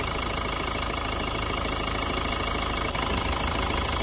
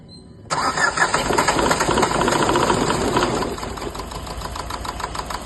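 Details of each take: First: Renault Duster 110 PS diesel idling after replacing faulty injectors 1 and 2: steady even diesel clatter with no misses or stumbles; misfire fixed. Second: Renault Duster 110 PS diesel before injector replacement: cranks and catches, then runs with uneven lumpy clatter and stumbling beats; misfire from faulty injectors on cylinders 1 and 2.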